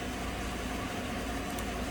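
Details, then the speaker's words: 2015 GMC Sierra crew cab 4x4 5.3 V8, after fixing P0171/P0174 lean codes (tissue paper in MAF sensor from rodent-damaged air filter), warm after 15 minutes, fuel trims about -2%: smooth, even idle, low rumble, no misses; running fine. "so it's been running now for about 15 minutes seems to be running just fine"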